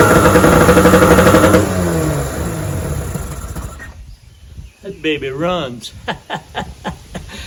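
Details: 1996 Johnson 15 HP outboard (model J15REDO) running after the carburetor was soaked and cleaned; it previously wouldn't start. Quick, steady two-stroke buzz; runs pretty good, though the kill switch doesn't work.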